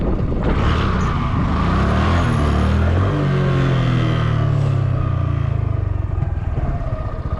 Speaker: You hear that? That's what I was talking about. That duck sound.